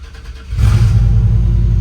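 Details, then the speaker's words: 1995 Chevy Z71 pickup, 205,904 miles on odometer: quiet until it fires, then loud, deep, boomy unmuffled exhaust rumble as it revs; back of the muffler is blown off. "And it does have the whole back of the muffler blown off, so he's going to have to take this thing to the muffler shop."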